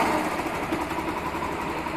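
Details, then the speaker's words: Factor 150 motorcycle idling: harsh rapid rattling buzz over single-cylinder idle; sound changes when the stator is unplugged; shorted stator coil causes the noise. "galera Realmente esse tator Em Curto faz esse barulho terrível na moto tá"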